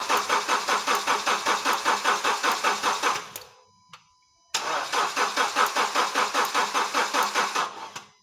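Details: Honda Step Wagon R20 crank-no-start during a spark check; fuel delivery was later confirmed: steady starter churning at about six beats a second, a pause, then more cranking that never catches; it cranks but won't start.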